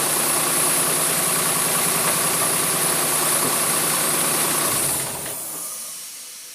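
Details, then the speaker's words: Jaguar AJ30 (Duratec) V6 swap just restarted after five to six weeks dormant, reworked exhaust manifold smoking, hoped to be grease burning off: even idle with quick regular pulse and hiss, fading as mic moves away; healthy. "over a month of dormanty, maybe 5 weeks, six weeks actually. And it starts almost on the turn of the walk around."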